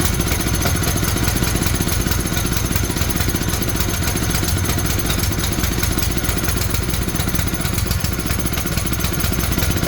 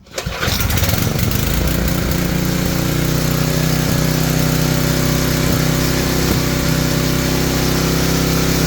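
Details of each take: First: Tecumseh generator bought as non-running, running with the brown low-oil sensor wire disconnected; oil was later found low. Single-cylinder engine chatters along at a steady pace without stalling or surging; running normally. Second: Tecumseh-engined generator sold as non-working, after new fuel line and reconnecting the oil sensor brown wire: engine catches on first pull and runs steadily without stumbling or dying.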